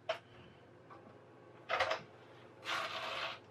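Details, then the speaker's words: PS2 DVD drive reported unable to read games and constantly opening: scattered sharp clicks and short rattling bursts, no steady spin-up; drive mechanism not catching the disc, cause unconfirmed. "that's not nice you can hear that that's not catching quite right so something going on with our CD Drive"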